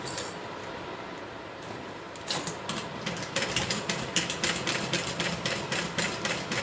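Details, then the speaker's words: Sewing machine stitching fast at stitch length 4.5: sharp regular knock about three to four times a second at speed; needs repair, cause unknown. "When I sew fast, my sewing machine has a little knock to it. That's what I have to get fixed."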